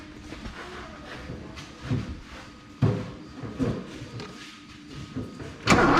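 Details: 1984 Porsche 944 sitting a couple of years, cranking after fuelling: starter spins the engine in uneven bursts but it never catches or fires; crank-no-start.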